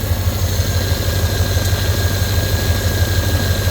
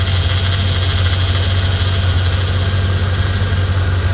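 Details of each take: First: Corvette at nearly 200k miles with a power steering leak (hose had blown off the pump; o-ring fitted); wheel cranked lock to lock. A steady high whine rides over the idle, fluid is low and no leak is seen. Power steering pump whine. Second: Corvette near 200k miles with a power steering leak, engine idling while fluid is poured into the dry reservoir: steady low drone, no whine or groan, pump kicking in and sounding normal.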